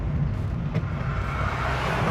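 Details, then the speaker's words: 2008 Honda Civic, gentle pull through first and second gear after fluid changes: steady low rumble rising smoothly with no clunks or jerks, very smooth acceleration. "so we'll do a smooth little first and second see what she sounds like wow amazing how smooth this car is just hard to believe"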